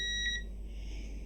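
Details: ProFX8 v2 mixer, intermittent microphone socket: meter on a side pin gives a clean, unbroken continuity beep while the connector is worked; solid contact on that pin.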